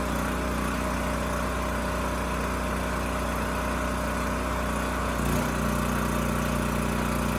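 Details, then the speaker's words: Champion generator model 40026, after carburetor cleaning and replacing a rusted fuel tank, running a steady even drone whose pitch shifts once as load comes on then holds smooth; normal running under load. "no surprises this thing still starts runs sounds good and supports a load so i think we're done here"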